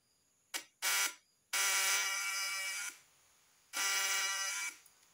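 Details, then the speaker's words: Faulty condenser on a points (platina) vibrator test: harsh, growling buzz bursts start and stop with each switch-on instead of a clean rasp. Secondary output only 50-70 V; the condenser is bad. "padahal hasil dari suara itu tadi udah menunjukkan bahwa kondensor ini sudah tidak layak dipakai atau sudah jelek"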